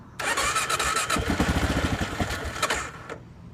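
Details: Gen 1 Kawasaki KLR 650 no-start: starter churns the single in uneven, labored pulses under three seconds, then stops; engine never fires.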